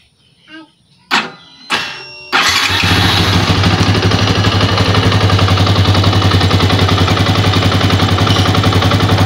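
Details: Old Yamaha Vixion after repair for rough rattling "kletek" noise and weak power when hot: two short cranks, then fires and holds a quick, even beat with no rattle; smooth, healthy idle.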